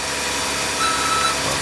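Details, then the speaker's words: Jeep Grand Cherokee on a cold morning after remote start: harsh, hissing screech over the cold idling engine from one worn idler pulley bearing (part 05281301AA); fix is replacing the pulley. "so you heard the noise and I can tell you it's this one pulley here"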